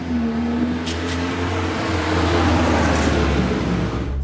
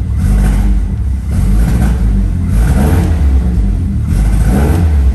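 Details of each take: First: 1971 MG Midget four-cylinder after repair: it had run horribly and misfired from a faulty ignition coil. With a new coil fitted it runs with a steady, even note and picks up cleanly, firing smoothly on all cylinders. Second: 1971 MG Midget petrol engine just after start-up: rough surging and stumbling, spluttering misfire also seen on the freeway; phone recording.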